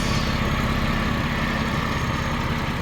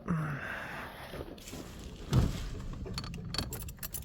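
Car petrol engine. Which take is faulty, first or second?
second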